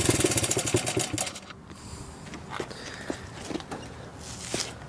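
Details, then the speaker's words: 1981 Honda XR80 four-stroke single after freeing a stuck float: first kick, no choke, brisk fairly even idle, maybe slightly high, crisp pops from spray-can exhaust, no knocking, misfires or smoke; healthy. "Oh, first kick, baby. No choke, no joke. Idle might be a little bit high, but no smoke. The spray paint can exhaust is looking glorious. Sounds fantastic."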